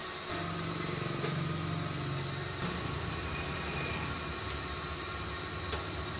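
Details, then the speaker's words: Suzuki Karimun kotak, carburetor recently disassembled, headlights on, before the carb idle screws were readjusted: engine holds a steady but fast idle around 1200 rpm, quicker than it should; high idle. "Oke Bro ini lampu masih menyala kemudian lampu masih Salin ya Bro kemudian stasioner masih besar yang k1200"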